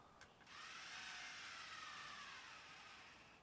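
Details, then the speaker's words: MicroTouch Titanium head shaver, second unit, failed within two months, blinking and won't hold charge: faint thin high whir spinning lazily with no punch; weak motor, low power. "See, there's just like no power anymore."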